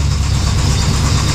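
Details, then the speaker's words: 5.3 LS V8 in a third-gen car idling with heavy, deep, rapid thumping knock that seems to come from the crank despite good oil pressure; suspected rod knock, not confirmed, with a squeaking new belt also present. "pretty loud [Music] sounds like it's coming right from the crank"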